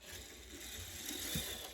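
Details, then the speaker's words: Bachmann Santa Fe F9 HO scale locomotive, started with a push, runs weakly: faint even whir of tiny gears, no clicking or skipping; no cracked gears heard. "That seems weak. However, it does not sound like this locomotive has any cracked gears, which is a good sign."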